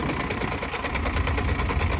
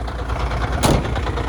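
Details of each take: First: Truck diesel at idle before the fix, with the new exhaust fitted: a thin, high, rapid chirp that grew worse and stops when the clutch is pressed slightly. Cause: crank damper dust boot rubbing the front cover. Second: Heavy truck diesel cold-started at 40° coolant temperature after repair: an even low idle throb, the squeak gone, with one brief air hiss. The air compressor is suspected of needing adjustment or repair.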